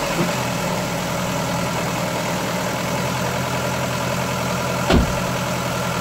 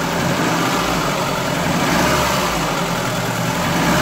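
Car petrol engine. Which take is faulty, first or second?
first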